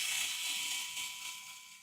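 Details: Small cooling fan on a DIY 3D-printer re-spooler controller, slow to spool up; thin buzzy hiss with steady high tone fading as it slows, the plastic case rubbing and pressing on the fan.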